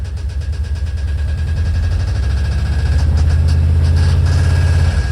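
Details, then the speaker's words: 1968 VW double cab Transporter, air-cooled engine, just revived after 5 years in a storage lot, idling: light rhythmic knock swells and fades; owner suspects stripped cam gear bolt holes letting the cam gear rattle, knock going away under load; rocker arms checked tight; no smoke. "So, I'm thinking that it might be this uh stripped bolt holes on the cam gear and the cam gear is rattling and whenever there's a load, it pins it to one side and uh keeps it tight."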